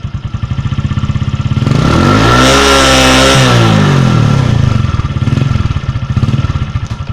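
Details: 2004 Suzuki Shogun 125R single, clutch plates, clutch housing, cam chain and its rubber replaced a year earlier, revving up and back down: an uneven clattering chatter rides on the note throughout; abnormal engine noise when revving, source unclear.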